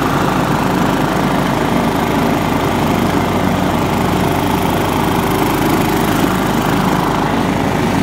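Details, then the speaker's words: John Deere LX172 lawn tractor after new PTO switch and fuse: steady, even engine roar with mower blades whirring underneath, no surging or knocking; healthy with the deck engaged. "yeah well that's awesome so I squared this tractor because the wiring was totally screwed up according to the guy I bought it from and it turns out in all reality it needed a PTO switch and a fuse"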